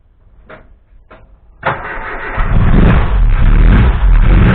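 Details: Mk1 Cortina restoration, first run of the newly fitted engine with no coolant system, fabricated fuel line and pressure regulator: catches after a couple of cranks, then revs with a slight uneven stutter; owner blames ignition timing not yet set and fueling slightly off.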